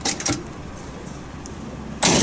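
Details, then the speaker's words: Very old Taishō-era Kubota stationary engine, unmodified: sharp cracking bangs of afterfire as unburnt gas collected in the large muffler ignites. "未燃焼ガスが大きなマフラーの中に溜まってそれがええ民家して爆発を起こした感じです"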